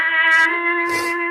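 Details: Melody in Motion Cellist figurine's internal tape player after refitting the missing rubber drive band: clear tune at steady pitch and even speed, no warble or dragging. Normal playback; the band was the only fault.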